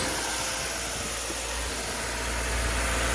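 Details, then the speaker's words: 2009 Lexus ES 350 3.5 V6 idling steadily with an even rumble and no knocks or misses; oil level fine and alternator charging, no bad smoke or smell. Normal idle. "So far so good. The engine is running good, guys."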